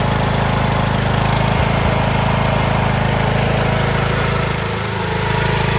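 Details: Craftsman T1600 (MTD-built) lawn tractor, 46" deck, Briggs 19hp, after replacing a blown cylinder head and head gasket, mowing: steady, even drone under load with only a slight dip and no knocks or misses. Normal running under load.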